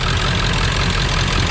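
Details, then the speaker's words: 1999 Ford F450 Power Stroke diesel service truck on a warm day, after injector work that did not fix the miss. Uneven lope with a dropped beat in the firing: dead miss at idle from a failed injector not firing. "I can tell you that it has not fixed the Miss yet we've still got a dead miss"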